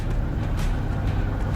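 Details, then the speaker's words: 1989 Freightliner FLD120 with Cummins diesel, cold start after replacing the solenoid suspected of causing a no-start: a deep, even diesel beat at cold idle with no misses; engine running normally. "All right, let's hear this old Cumins come to life. There we go."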